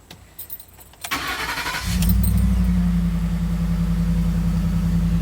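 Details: 2011 Ford F-150 restarted after replacing the fuel pump power fuse: a short crank, then it catches right away into a smooth, even idle. The "turn power off to save battery" message still shows. Normal start.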